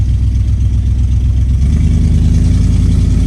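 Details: 1970 Dodge Challenger V8 driving after carburetor tune, low on fuel. Deep even burble with steady low pulses, no stumbles or skipped beats; misfire fixed, running cleanly.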